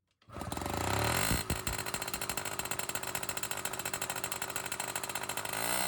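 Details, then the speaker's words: 1980 Yamaha Towny two-stroke moped, sitting since 1992, cold start with new welded exhaust pipe: fast, raspy, uneven crackle with a hollow buzz, harsh and loud; muffler suspected to be a straight-through pipe without real muffling. "What kind of muffler is this? I bet you it's a straight line inside there. I bet that's not even a muffler. Terrible."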